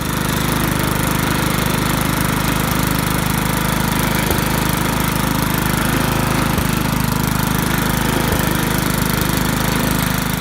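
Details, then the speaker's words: Briggs & Stratton lawn mower engine after head removal and carburetor clean, on a little added gas: steady, even single-cylinder putter with a regular beat, no misses or knocks; running cleanly. "So it sounds good. It sounds very good."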